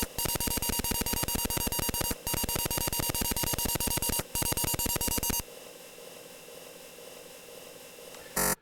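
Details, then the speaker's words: Atari 8-bit disk drive doing disk I/O of a graphic from a BASIC program under Atari DOS II burst mode: rapid, evenly spaced buzzy clicks in bursts about two seconds long with short gaps, then quiet; normal fast disk I/O beeps. "sending the data putting the data directly into the buffer and then calling cio telling it that the operation has completely finished adjusting the length byte by 128 bytes or so as necessary and you can see the result is much faster"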